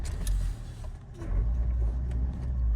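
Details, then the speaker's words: 2013 Nissan Qashqai 1.5 dCi Renault diesel, 74,000 miles, just started: a deep, even diesel rumble with no knocks or misses. This is a normal, healthy start-up. "Just the usual diesel engine, the Renault engine."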